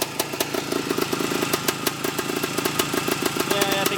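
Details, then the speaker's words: Restored 1972 Yamaha RT2 360 two-stroke at idle: crisp, slightly uneven ring-ding popping that firms up as the idle picks up while warming, with no knocks or rattles; healthy. "You can already hear the idle picking up."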